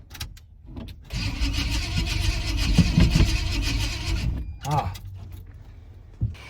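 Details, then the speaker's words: 1980 Chevrolet C10 Cheyenne, hot, on a jump box: starter turns the engine over for about three seconds with a steady low churn but it never fires; no spark suspected, crank no start. "this sounds like there's no Spark engine just spins over it won't pop off"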